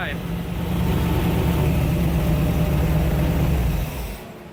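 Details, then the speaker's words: Jeep TJ with 350 small-block Chevy V8 after Edelbrock 1825 Thunder AVS carburetor, 2701 Performer intake and distributor cap tuning: deep, even rumble swelling and settling with throttle, no misses, pops or knocks; running clean, shutdown shows not too rich. "so a little bit of tuning distributor cap and now it's sounding pretty good"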